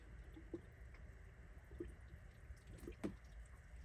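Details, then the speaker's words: Dodge Dakota after head gasket replacement, engine off, filling coolant: irregular drips and trickling water; coolant leaking from radiator drain plug left untightened. "So I'm sitting here filling this up, and then all of a sudden I hear running out somewhere, and I'm like, oh god, what's that noise? And I look down, I completely forgot to tighten the drain plug on th"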